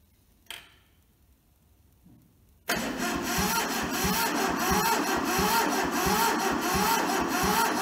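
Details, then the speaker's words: Toyota SDK4 skid steer diesel (rusted, seized, under restoration) cranked via jumped starter solenoid on a temporary diesel tank, with ether and injectors loosened to bleed; after a pause, steady ~4/s cranking that never catches. Cranking no-start, no fuel reaching injectors. "I now have juice to my injectors. Maybe not enough, but we've got some, so just tighten that back up."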